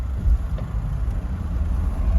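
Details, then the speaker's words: Lada Niva with modified transfer case, on road at 80–110 km/h: low even road rumble and smooth engine hum, no whine or clunk; drivetrain quiet, transfer and differential noise gone. "porque ahora mismo coche no hace ruido 80 90 100 110 no hace nada de ruido"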